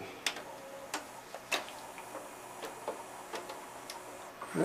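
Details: Sony CDP-CX300 300-disc CD changer after replacing its three belts: light scattered mechanical clicks and ticks as the carousel indexes round, no scraping or slipping; working normally.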